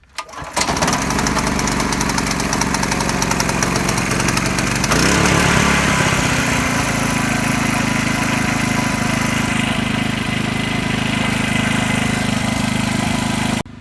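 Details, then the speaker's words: RYOBI RYI4022X 4000W inverter generator started right after an oil change, run a few minutes before rechecking oil level; catches after a brief crank, settles into a smooth even hum, no knocks; normal running. "Let it run for a few minutes and check your level again after you get the oil in, which I'm doing now. It's running now."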